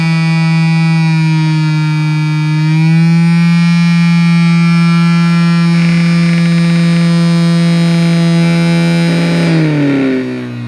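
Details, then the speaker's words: Cheap massager motor under PWM speed control, normally on 3 V, with the supply voltage raised toward 6 V: a steady motor hum steps up in pitch and turns harsher, holds, then winds down. The motor is overdriven at the higher supply voltage. "you could put a pair of lithium cells in there at some three point two volts each that give you six volts instead of three so what will happen if I knock the power supply voltage"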